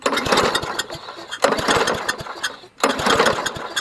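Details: Trash-found Toro GTS push mower, long unused, new plug, another shot of starting fluid: three recoil pulls about 1.4 s apart, engine spins but never fires; no start, no spark.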